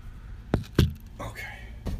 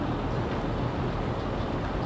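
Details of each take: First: 2003 Mercedes S430 4Matic with 171,000 km, body pushed down: heavy thumps and a creaky rubbery squeak on rebound. A worn suspension rubber bushing is suspected, and silicone spray lube is tried before replacing parts. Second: 2003 Mercedes S430 4Matic, 171,000 km: suspension pushed down hard with the phone mic on the tire gives only dull thumps, no squeak, after spraying ball joints and bushings with silicone lube.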